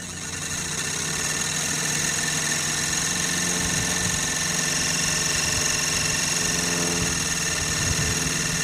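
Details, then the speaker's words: Sirius steam engine generator plant, boiler at about 40 psi, field powered, output 20 volts about 3 amps charging a battery on a warm day: even soft chuffing beat with steady high generator whine; running smoothly under light load. "That took it up to 20 volts and about 3 amps. The only power being drawn is what's going into this battery and the field itself."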